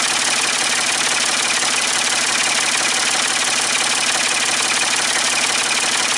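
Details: Ford 550 TLB backhoe, 3-cylinder diesel, after reassembly and injector fuel bleeding, cool day: steady even idle, quick regular patter under heavy hiss, no misses or knocks; healthy, only a small injector return-line drip.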